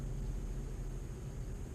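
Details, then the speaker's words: 2004 Ford Focus rear wheel bearing, raised wheel spun by hand: steady low grumbling rumble, no clicks or knocks, a worn bearing, louder under load and sounding like an airplane when driving; no wobble at the tire. "but it's pretty grumbly in there. And when you put weight on it, it gets even grumblier, especially when you're going down the road."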